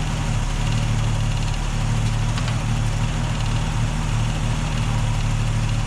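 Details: Holden UC Torana six-cylinder idling off a temporary fuel cell, original tank fuel pump disconnected: steady even low rumble, no hunting or misfires; healthy idle.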